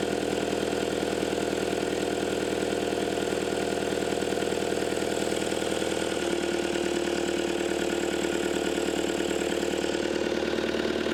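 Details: Caterpillar 259D skid steer after engine install and wiring fix (communication plug issue resolved), first start: steady, even diesel idle with a regular beat about two and a half per second and constant whine; runs smooth and healthy.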